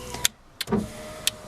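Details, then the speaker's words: VX Commodore driver's power window after cleaning and reassembling the intermittent switch: sharp switch clicks, then a steady motor whir as the window runs straight down and up, slow but not a switch fault; normal operation. "straight down straight up it'll be it slow but that's not the power we switch"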